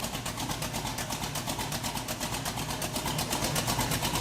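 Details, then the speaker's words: 1967 Chevrolet Camaro SS with 4-speed, first cold start after 15 years: steady idle with a choppy cam lope, burning off a little oil and dust, 60 psi oil pressure at cold idle; normal cold idle with lumpy cam. "She's got a little chop to her. Sounds pretty good. Burning a little uh oil and dust off the engine, but sounds"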